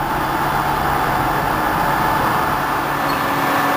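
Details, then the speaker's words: 1989 SHARP 24" x 120" geared-head engine lathe, spindle at 214 RPM: steady, even gear hum with a faint constant tone, no knocks, clicks or grinding; headstock quiet and runs well. "The headstock is quiet, runs well. This is a spindle speed of 214 RPM."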